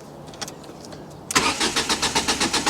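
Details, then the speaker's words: Ford Mondeo after service, fuel pump plug reconnected following a bad earth/voltage fault; engine catches almost at once and runs with lumpy pulsing beat, then stalls, apparently having run the fuel out of its system again; cause suspected, not confirmed. "It wasn't starting before because it had run all of the fuel out of its own system."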